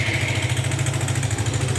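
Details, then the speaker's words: Suzuki Gixxer 150 single at idle in neutral; quick light tapping chatter, suspected valve noise, cause unconfirmed before teardown; top-end rattle at idle. "pueden oír el ruido tiene un sonido de válvulas aunque podría estar trabajando en krypton"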